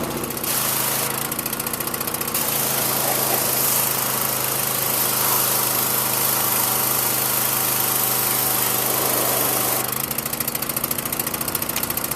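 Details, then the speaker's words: Small-engine pressure washer that sat all winter in a cold garage and started right up: a steady buzzing run with a constant mid-pitched drone and no stumbling or surging; running fine. "ah that is a good piece of equipment that's it"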